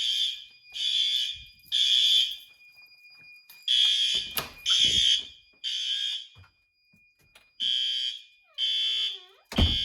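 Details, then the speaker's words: Monthly May fire alarm test triggered by activating a heat detector, door released as it should. Loud, shrill horn blasts in even on-off bursts about every second at full strength; horn strobe working properly. "Detector's activated. That strobe is working good. Horn strobe's good."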